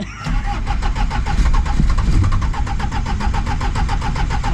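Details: Polonez that has sat since August and stopped starting: glow-heating and cranking repeatedly, steady rhythmic starter cranking at about five compressions per second but the engine never fires. Fuel not being drawn is suspected, not confirmed; crank no start.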